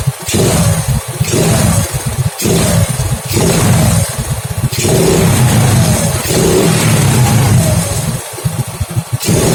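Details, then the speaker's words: Honda Grand motorcycle with a hard-start, stuttering problem and black, fouled spark plug: revs keep cutting out and stumbling every second or so with a new original CDI fitted; misfire under throttle, CDI ruled out as the cause. "Oke, ada berbetnya. Ini beli yang original, bener-bener original pabrikan ya"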